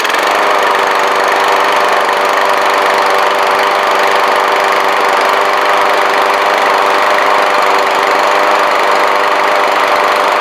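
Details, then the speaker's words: Briggs & Stratton 675 EXi lawnmower engine after removing oil from the gas and gas from the oil, just fired up, blade off: steady even single-cylinder buzz at constant speed, no misses or surging; running normally. "So hey, there we go. It fired up."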